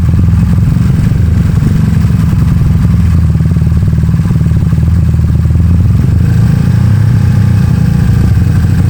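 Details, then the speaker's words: Honda Beat carbureted 130cc scooter after over two years of use, fitted with a racing exhaust: deep, even exhaust note holding steady through revs, no knocks or rattles; pulls cleanly and healthy. "Ah, tadi gua gua udah tes tuh enak banget geberannya. Mantap. Suaranya juga halus."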